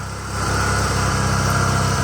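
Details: Toro 616Z zero-turn mower twin idling after the loose spark plug tip was tightened, which had made it sometimes run on one cylinder; even, steady low thrum with no misses or knocks, idling cleanly.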